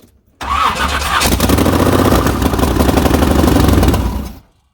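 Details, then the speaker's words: Chevy S10 Blazer, swapped 383 small-block V8, TH350, 4.11 gears, first start on race fuel mixed with pump gas, distributor untouched: brief crank, fires first try, then a loud, lumpy, even idle with no knocks. Healthy start. "anything look at that fires right up baby first try hell yeah old girl"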